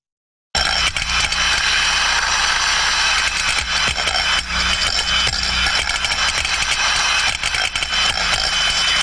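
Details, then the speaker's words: Free-floating thermostatic steam trap, normal operation, higher condensate level in trap: steady continuous flow turbulence hiss with light irregular knocks of the floating ball against the chamber side as it floats on condensate. "in this case it is a free-floating thermostatic trap where we may hear the sound of a floating ball knocking against the side and this is what we would hear in that respect"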